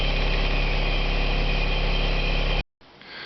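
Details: Isuzu/Holden Rodeo with new alternator: steady, even low idle with a smooth beat, no knocks or squeals; charging at 14 volts, engine healthy.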